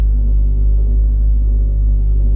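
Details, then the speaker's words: TURBOWERX Spartan turbo oil scavenge pump on a cold engine at about 45°F, idle settled around 750 rpm: a faint steady hum with an even throb, holding oil pressure; the pump is running quietly and normally. "hear it humming but just barely I have to listen for it and I can hear it to be honest I've okay with just a faint hum"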